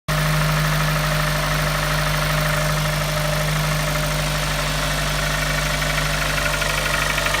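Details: Kia Optima engine at start-up, recorded 15.05.2018: steady idle with a faint, uneven knock under the engine note; knocking on start, ultimately resolved by engine replacement under warranty.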